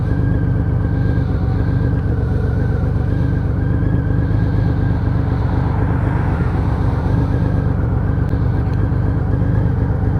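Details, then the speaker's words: Honda Valkyrie 1500 after full engine rebuild, riding on the road under load: steady, deep, even drone with no knocks or misses; engine running normally and sounding healthy. "There we go, doesn't that sound sweet?"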